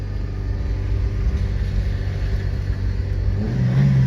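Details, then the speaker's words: 2004 Chevrolet Optra, 193,000 km, leaking radiator top tank, lurching and clunking into gear: deep steady drone idling at 3,000 RPM with no throttle input; high idle, owner suspects the automatic idle control valve. "Now the Oh, the light went out. The power steering light was on, too. It's idling at 3,000 RPM."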